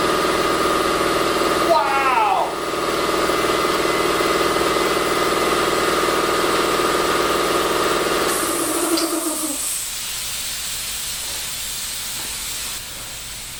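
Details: New NorthStar 2 HP 20-gallon air compressor, first start-up: motor drones steadily, then a sharp high hiss as air escapes where a part was forgotten and left out; air leak.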